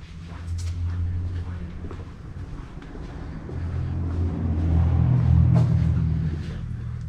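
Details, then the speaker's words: Honda K20-engined DC2 Integra race car after fuel system fix for injectors clogged by tank debris, PWM fuel pump at under 20% duty at idle: deep, even low rumble swelling gently and settling, no knock or whine; healthy idle. "that work perfectly so as the fuel pump was priming I could hear that it was barely running"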